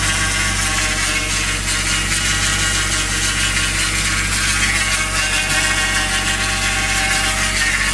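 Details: Toyota 1JZ VVT-i engine with new oil pump, new timing belt and Millers 10W60 oil: at cold idle a weird noise starting 10–15 s after startup, coming with oil pressure; constant high hiss with faint ticking, disappears once warm; cause unidentified.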